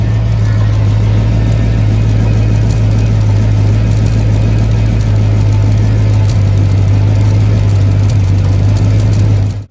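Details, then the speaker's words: Car idling with a steady, deep drone with a faint puffing edge: exhaust leak at a joint gasket below the driver's seat, also heard when accelerating. "i can hear it when the car is idling i can hear when i'm gassing the car so i'm about to jack that car up and see if i can fix it the uh exhaust leak is right below the driver's seat"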